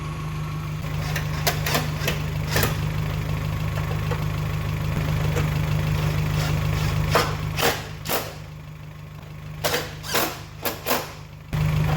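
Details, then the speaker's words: Geo Tracker after replacing the camshaft and crankshaft seals, water pump, timing belt and timing cover to fix oil leaks. It idles while warming up for the thermostat to open, with a deep, steady, even beat and a few light clicks: normal. "the new uh timing cover looks really good on there everything's running in order"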